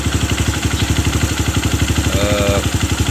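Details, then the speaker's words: Honda CRF fuel-injected single-cylinder that stalls when the tank is low, tested with little fuel: idle thumping about four times a second, slightly uneven; fuel pump pressure below 40 and steadily dropping, so the fuel pump is faulty. "Turun bro, turun. Tekanannya nurun terus. Ini udah dipastikan tekanan full pump ini bermasalah ya."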